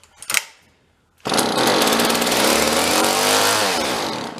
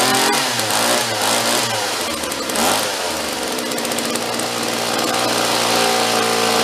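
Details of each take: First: Vintage John Deere chainsaw found in a roadside free pile, has spark: after a pull it bursts into a rough, buzzy run on prime, then sags and dies, starving for fuel; carburetor to deal with, pull start also needs work. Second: Vintage John Deere chainsaw rescued from a free pile, after pull-start repair, air cleaner off: steady fast idle with clean even two-stroke note, no misfire or stumble; idle still to be lowered, low and high carb screws to adjust.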